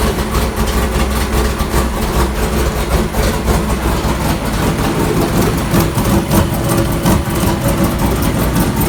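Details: 1999 GMC Sierra LS, 6.0 V8 with a VS Racing 7875 turbo and Hi Ram intake, on a base tune with idle still being tuned: a deep idle that surges and lopes unevenly, a rough idle from idle calibration not yet dialed in.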